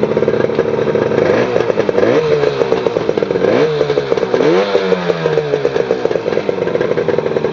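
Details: 1967 Yamaha YCS1c 180cc two-stroke motorcycle, modified engine, first test fire after setting points timing with a dial gauge to 2.0mm BTDC (factory 1.8mm). Crackles into life and blips up and down cleanly with no misses or rattles: running fine.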